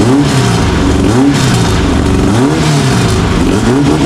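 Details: VW air-cooled flat-four, about 130 hp naturally aspirated, 10–12:1 compression, timing set around 28°, blips up and back down crisply with no misfire or knock; healthy normal revving.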